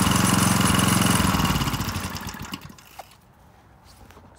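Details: McLean 3.5hp Briggs and Stratton edger, sat for years, after carburetor tuneup and oil change: steady even single-cylinder putter at constant speed, then winds down smoothly to a stop; runs cleanly.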